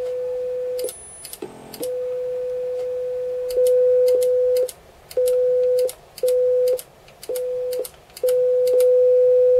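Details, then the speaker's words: Commodore Amiga A4000 audio output after repair, where a chip was reseated and aligned: clean steady tone near 500 Hz switching cleanly on and off per channel, much louder now, with no hum or crackle; healthy audio. "that's all it was much much louder now"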